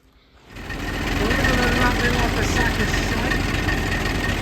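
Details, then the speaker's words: Matbro with Perkins diesel after new turbo fitted, piston issue sorted and oil refilled: engine catches, settles into an even, steady idle with no knock, running sweetly with no oil leaks. "a lot better already get out of here sounds like quite sweet a lot better yeah definitely check around no oil leaks not of anything I've touched anyway"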